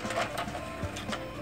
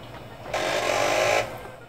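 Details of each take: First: CD-ROM drive in a woodgrain 486 DOS PC (AMD Am486DX2-66) after a loose drive assembly was reseated: short whirring motor run with a few soft clicks as the tray slides out smoothly and fully; eject sounds healthy. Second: CD-ROM drive on a Creative interface card in a 1994-era AMD 486DX2-66 DOS PC build, spinning up a disc: about a second of rough scraping with a thin whine; disc rubbing on damaged drive internals, the disc itself unharmed.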